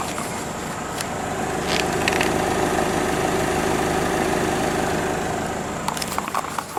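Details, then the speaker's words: 2011 Nissan Altima 2.5 SL, 76,000 miles, well maintained with oil changes: soft smooth even idle, quiet hum, no knocks or ticks; pretty quiet car, normal idle. "So that is what a Nissan Altima with the 2.5 2011 engine sounds like. With 76,000 miles on it. It's been well maintained with oil changes."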